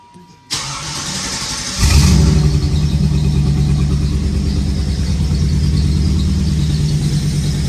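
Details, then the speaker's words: 1994 Chevrolet Camaro Z28 LT1 V8, a tornado-survivor project, firing up: catches after a short crank and idles loud and raspy with rapid ticking puffs; a bad exhaust manifold leak on both sides, with an ill-fitting gasket pinched in after cement failed. "So we have a really bad exhaust leak from there, both sides. But fingers crossed, let's fire it up."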